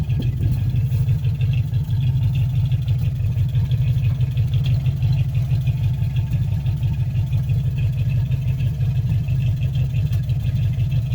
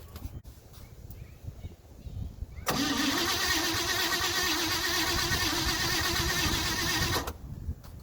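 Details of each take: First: 1957 Chevy 5400 low cab forward with a swapped 1955 265 V8 and freshly rebuilt manual-choke Rochester 2G carburetor, started in winter. Steady, even idle with a smooth low rumble and no misses, stumbles or hunting; the engine sounds healthy. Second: 1957 Chevy 5400 low cab forward with swapped 1955 265 V8 and freshly rebuilt manual-choke Rochester 2G carburetor, back after three months down, battery charged an hour: about 4.5 s steady starter cranking, no firing, refilling the dry bowl; it then started.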